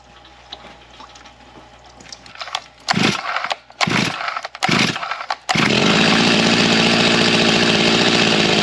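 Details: G366 chainsaw, bone-stock carb tuned to about 13,000 rpm, not yet broken in, during baseline dyno pulls before a carb swap: a few short blips, then a steady, screaming wide-open run without bogging or stutter. Runs clean and strong.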